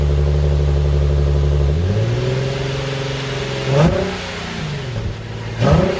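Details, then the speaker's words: Nissan 370Z during rebuild, running after fitting a new battery; steady even idle hum with clean rev blips rising and falling smoothly, no knocks or misses, normal idle and revving. "right she runs and she runs beautifully"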